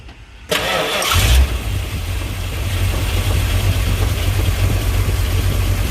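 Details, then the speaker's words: 1970 Dodge D100 with 383 V8 and Mallory Unilite ignition (distributor 3757701, coil 29219): cranks under a second, fires at once into a smooth, even idle; runs very well despite a crankcase vent vacuum leak. "this motor is running very well and I do have a vacuum leak on my crankcase vent"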